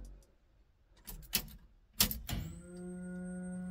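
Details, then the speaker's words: 1969 Camaro with LS3 swap, battery just connected, fuel line not yet hooked up, key to on: few clicks then steady electric hum for five seconds and shutoff; normal fuel pump prime as set in the tune. "there you go perfect so that all seems like it's working perfectly fuel pump came on for five seconds and then shut off"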